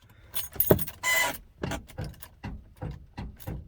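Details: 1985 Ford F-350 dump truck, 6.9 IDI diesel, 4-speed manual; stock starter quit on the drive home. Key rattle, then soft regular clunks about twice a second, no cranking or firing: starter failure, no crank.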